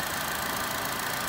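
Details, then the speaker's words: Chevy Cruze, about 111,000 miles, running after valve cover/EGR valve replacement; slightly rough idle with light even ticking from normal, historically noisy hydraulic lifters, not bad lifters; normal idle. "these crews motors sound like a little diesel motor Pippin has the perfectly normal hydraulic lifters and I mean they're just historically noisy so it's not bad lifters"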